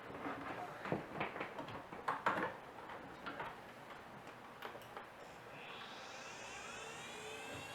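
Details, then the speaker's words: Old hard drive, shipped in a padded envelope, on power-up: faint irregular ticks, then a thin rising whir that never settles as the heads try to initialize; spindle motor failure, drive not recognized. "oh that doesn't sound good motor issues yeah this has a severe case of motor issues"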